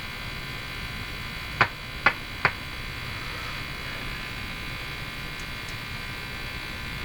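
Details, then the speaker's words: Silvertone 101-583-2 multiband tube radio running after a field coil overheating fix: over a steady hum three sharp pops come in about a second, then stop; intermittent crackle, loose connection suspected, not confirmed. "something going on here sounds like a loose connection to"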